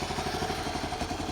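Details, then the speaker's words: 1974 Honda C50 single-cylinder, just started after 5 months sitting, cold: steady, even idle with a light tappety patter; runs sweet, normal healthy idle. "Great, isn't she? Honestly, that's after 5 months. She's a lovely old thing."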